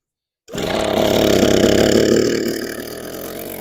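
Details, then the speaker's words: Echo PB413H two-stroke backpack blower with new aftermarket carburetor, first start at mid throttle with choke on and primer primed: fires straight into a strong, steady drone that eases down, running smoothly. "here we go oh just oh wait a minute that sounds promising give it half let's see"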